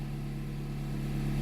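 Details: 2010 Jeep Compass after repairing a no-start caused by a corroded ASD relay box: smooth, even low hum and steady idle beat with no knocks or hunting.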